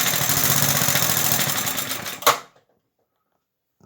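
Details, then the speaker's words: Circa-1960 English Suffolk small single-cylinder engine, about 66 years old, after a carb clean and new plug wire; it runs well but a fast, loose rattle sits over its firing, located in the starting mechanism: starter mechanism rattle. "guys, it ran nice, and normally I had to prime it in the plug hole to start. So my plan worked to clean the carb, and the plug wire works very good, and overall it sounds good. There is just a rattle somewhere. It is in the starting mechanism, and I know there is oil in."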